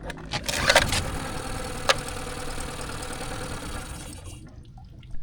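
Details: Tohatsu 9.8 hp 4-stroke outboard on a 1981 Cape Dory 28, just fitted with new spark plugs: fires and runs roughly about four seconds, then dies; the carburetor is suspected, so it is coming off.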